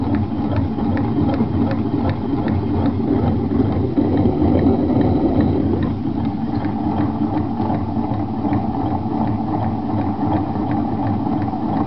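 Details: 1986 Honda Spree scooter engine running really loud though exhaust is quiet: busy uneven mechanical clatter, two or three knocks a second; owner suspects crankshaft bearings, not cylinder; internal source unconfirmed.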